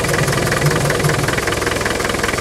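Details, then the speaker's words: 2.5 TD turbo diesel idling with the engine breather removed: heavy, rhythmic chuffing pulses steadily from the open breather. It is puffing badly, said to be typical of this engine. Crankcase blow-by. "let's take the um the Breather off yeah it is puffing badly but you know that's what 2.5 TD"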